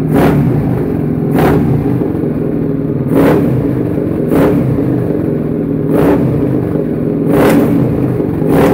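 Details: Suzuki SV650 V-twin self-built project starting up after rebuild: steady rumble with sharp throttle blips about every 1.5 seconds, revving cleanly and returning evenly; sounds healthy, normal revving.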